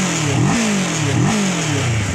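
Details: Kawasaki 650cc big bike that wouldn't start despite a strong battery, now running after the fix; idles evenly, picks up cleanly on two quick blips and settles straight back; normal idle and revving.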